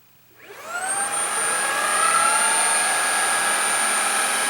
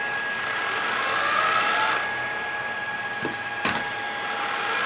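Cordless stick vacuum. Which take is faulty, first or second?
second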